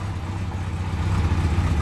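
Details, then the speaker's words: Kawasaki KZ1100 shaft-drive motorcycle, restored and started cold; about 1500 rpm on choke, then choke in and idling just under 500 rpm, slower than when warm: a low, even burble with no knocks or misses; smooth idle. "we'll push the choke in and it's ticking over quite smoothly round about just under 500 it's quite cold at the moment so obviously it's going to be it's not going to tick over its normal speed like it would do when it's warm um but it is running smooth"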